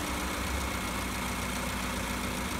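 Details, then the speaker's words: Petrol car idling smoothly and steadily at normal low rpm, no hunting or surging, after adjusting a loosened electronic idle valve screw that had caused high idle. "aracımız normal çalışma devrinde çalışıyor"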